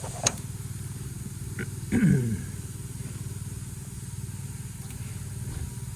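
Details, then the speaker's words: 31-year-old York AC unit with a no-cooling complaint; run capacitors removed, contactor looks good. Only a steady low fan drone with a light flutter and no compressor hum: the fan runs but the compressor isn't starting, or it is out of Freon. "So I don't think I heard the compressor. I think it was just the fan running, or if the compressor was running, it ain't got no Freon in it, one of the two."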